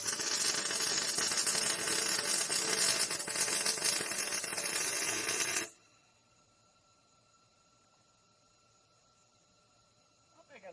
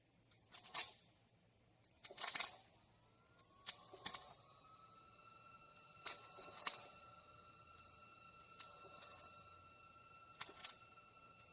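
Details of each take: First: MIG welding on a trailer main frame repair, with the welder turned up to 54. A steady, even crackling fry lasts about six seconds, with no pops or sputter. It is louder than the earlier welds, with reverb through the pipe; a healthy, well-set weld. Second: Trailer main frame repair weld: MIG arc spits and crackles in short, harsh bursts at uneven gaps, never settling into a steady sizzle; the arc keeps cutting out because the wire isn't making proper contact.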